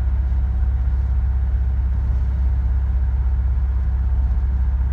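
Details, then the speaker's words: Audi A4 on the drive to work with a flashing check engine light; deep lumpy idle pulsing about twice a second, running rough, a misfire. "you can hear running rough there we go"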